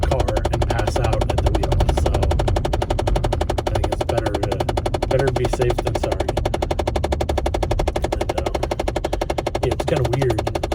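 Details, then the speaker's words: Car cabin after the climate control is switched from warm back to cool: rapid steady tapping, about four per second, continues until it subsides; the blend door actuator is clicking. "on the phone and it starts up we're like hold on it's happening and then we have to wait until the tapping subsides and then we talk again"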